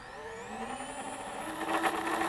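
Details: EMAX RS1106 brushless motors on a 90mm quad (LittleBee 12A BLHeli32 ESC) on 2S then 3S batteries whine up in pitch, then turn rough and raspy with a gritty, pulsing grinding buzz; cause unknown.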